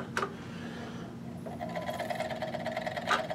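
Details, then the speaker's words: Original PlayStation after spindle replacement, disc stuck at the black splash screen; light scraping rustle with a thin steady tone as the disc spins up, disc seemingly hitting something, not confirmed; disc rubbing while spinning. "So I'm gonna go ahead and kick it on, see what it does. Whoop. And it sounds like it's hitting right now."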